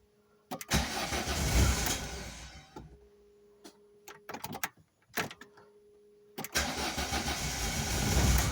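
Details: Volvo 480 turbo after long inactivity and wet storage, with new spark plugs, cables, rotor and distributor cap: repeated starter cranking bursts, never catches; tries to start only with fuel added at the intake. Suspected fuel pump or its relay.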